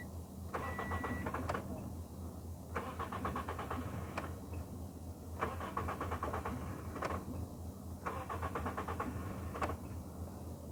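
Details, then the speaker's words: Toyota Yaris no-start, scanner connected for diagnosis; the starter cranks in short bursts and the engine catches briefly then dies each time over several attempts; starts then stalls, cause not yet found. "तो start हो रही बंद हो जा रही तो देखेंगे scanner भी चालू है"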